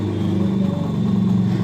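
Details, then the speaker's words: Hero Honda Splendor Plus after a new timing chain replaced a loose one to cure an engine noise; steady, low, even idle hum with no knock or rattle, any remaining sound attributed to the uncovered magneto side. Normal idle. "तो जिसमें sound की problem थी वो solve हो गई है सिर्फ हमने इसमें टाइमिंग चैन डाला 135 की"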